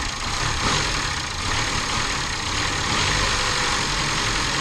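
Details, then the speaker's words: 2011 Chevy Cruze after repairing a massive vacuum leak: even, steady idle with a light airy hiss, no whistle or stumble; runs smoothly, no more leak, fuel trims may still need to settle. "The fuel ratio and all might still have to level out a tiny bit from running like crap that long, but it's definitely running good. That's not leaking no more."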